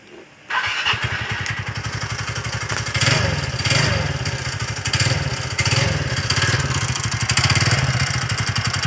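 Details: TVS Ntorq scooter: engine catches and settles into busy idle with rattly metallic chatter on top from a loose magneto rotor on the crank; fixed by removing and tightening the magneto.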